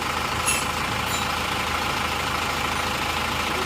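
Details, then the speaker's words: Isuzu Panther diesel after a repeat rebuild with all used parts, following a crankshaft that broke one month and 200 km after its earlier overhaul. Steady diesel clatter at an even idle with no misses or knocks. Started somewhat hard; timing was readjusted. Normal idle. "nah ini sudah hidup teman-teman hidupnya seperti ini suaranya seperti ini ganti bekas semua"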